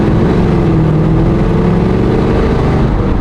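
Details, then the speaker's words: V8 with a Holley Brawler 950 CFM double-pumper carburetor on a test drive. A deep, steady roar holds under load with no stumble, pop or hesitation when the gas is tapped; the accelerator pump gives clean, immediate acceleration. "I will tap the gas. You'll hear it as right away it has the acceleration. So, the accelerator pump set up, all that stuff is great on these carbs."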